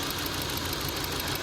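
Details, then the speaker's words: Kia petrol engine at idle with new plugs and coils after oil from a leaking valve cover gasket soaked the coils. Lumpy idle with busy ticking; unplugging the cylinder one coil gives no RPM drop. Suspected defective coil or wrong plug gap. "No change. So, either I got a defective coil. We try and use OE parts, but sometimes customers are looking to save some money. or I didn't gap the plug right."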